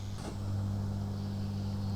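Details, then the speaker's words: Paillard 3601 Swiss valve radio, warmed up, microphone near speaker: loud steady low hum with higher buzz on top from failing power-supply filter capacitors; after replacement the hum dropped to a normal level. "I can tell there's not as much hum. I'll put the microphone near the speaker and we'll have a listen. I'll compare that to the hum we had this morning."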